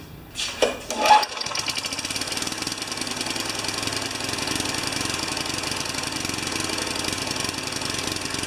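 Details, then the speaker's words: Tecumseh 3.5 HP mower engine, reassembled test run: a few pull-start bursts, then a fast, choppy putter that never smooths out; ran better with intake restricted, owner suspects a missing tiny gasket is choking it. "okay one more little test run it ran a little erupted a little better when the input is restricted I don't know what was choking up"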